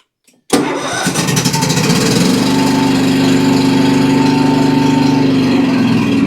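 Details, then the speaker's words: Cub Cadet XT2 riding mower, MTD PowerMore fuel-injected V-twin, seat switch bypassed: cranks, catches, then runs rough, weak and labored with a lumpy lopsided beat. Testing showed only one cylinder firing. "It just sounds weak and labored is what it sounds like."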